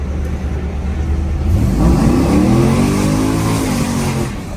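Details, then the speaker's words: 2001-2002 Camaro SS SLP V8, about 100,000 miles, with new headers, Y-pipe, differential swap and tune: wide-open-throttle hit spins the tires, deep roar climbs cleanly with no stumble or popping. Runs great after earlier rough running; slight rear-end noise suspected as axle or pinion bearings. "Oh yeah. Spun the tires. Spun the tires real good."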